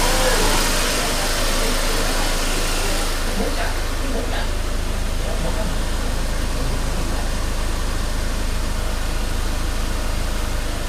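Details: Mercedes-Benz E250 CGI W212 M271, cold engine idling unevenly with a lumpy beat and slight shake after cold-start stalls logging P2301/P2304/P2307/P2310; all four ignition coils already replaced without fixing it; cause not pinned down.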